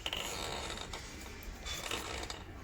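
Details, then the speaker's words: 2019 Benelli TRK 502 on a paddock with the rear wheel spinning freely and chain slack set evenly: faint ratchety clicking and a rough whirr; the mechanic suspected the sprocket or chain. "Wheel rotates freely, there's no issue, okay, but the sound is there."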